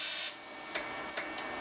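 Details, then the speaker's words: HitBox 200A dual-voltage TIG/stick welder: sharp hissing buzz from inside the unit for a fraction of a second, then faint ticks; the normal high-frequency arc start, nothing wrong. "that is the high frequency star"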